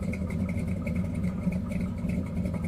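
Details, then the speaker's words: Road Runner with a freshly built big block, on its first street drive: deep, lumpy V8 idle holding steady with the cooling fans running. There are no knocks or misses, and it is idling normally. "and it'll sit and do this. It'll sit and idle."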